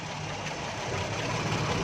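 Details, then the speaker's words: Daihatsu Charade 1000cc on CNG with a late-starting problem, after the valve was replaced; steady, even idle with a soft uniform hum, no knocks or misses, running cleanly on gas; starts properly before gas adjustment. "देखें दोस्तों, गाड़ी हमारी बिल्कुल एकदम सही स्टार्ट हो गई है।"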